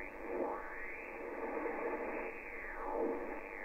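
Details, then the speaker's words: HF receiver on 80 m band: steady hiss swelling into a louder peak about every 2.5 seconds, repeating S9 noise, resembling a previously found trickle battery charger; radio interference (QRM). "this is what it sounds like and it just repeats and repeats and repeats and S9 of noise"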